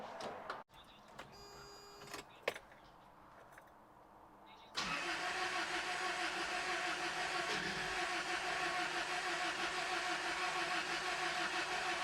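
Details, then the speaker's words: Toyota pickup just after an engine rebuild (blown head gasket fixed, fresh plugs, new oil, coolant, good battery): a few clicks, then long even cranking at about three turns a second that never fires; owner suspects spark, fuel smell, sensors or distributor timing. "Well, I've been messing with this thing for a minute, and I couldn't figure out why it wouldn't start."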